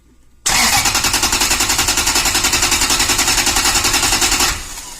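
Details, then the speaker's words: 2012 Toyota Tundra V8, about 282,000 km, automatic in park, cranked via jumper on starter relay: even steady cranking chug, compression sounds normal; misfire codes, later traced to failed ignition coil on cylinder 3. "sounds pretty normal so I don't think there's a serious compression problem"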